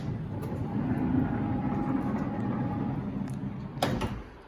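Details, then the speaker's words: 1999-2004 second-gen Honda Odyssey power sliding door opening, which uses contacts on the door itself rather than the floor micro switch: soft motor hum for about three seconds as the door rolls open, then a firm latch clunk; opening works normally. "seems to work perfectly fine for the open, but for the close, does nothing."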